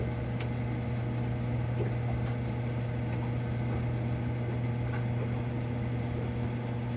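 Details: Marine Air Systems Cabin Mate air conditioner on a Mainship 40DC boat: a loud, steady low hum drones on without change while the compressor struggles to start; the unit is very noisy at start-up and the cause and fix are still unknown.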